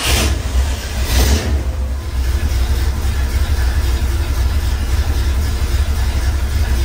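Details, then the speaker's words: Truck after York AC compressor clutch bearing replacement, clutch and belt reinstalled: engine starts and revs, settles smooth, no bearing growl or squeal; normal AC compressor clutch operation, repair fixed. "it's always nice when something actually goes according to plan so we gotta fix we're all good"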